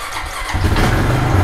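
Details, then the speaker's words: ATV started on a lead-acid battery charged for an hour and a half by a 50 W solar panel through a mini MPPT charger: brief crank, catches promptly and runs steadily; clean start. "I use this charger for an hour and a half with a 50 watt solar panel and that battery got enough charge to start the ATV"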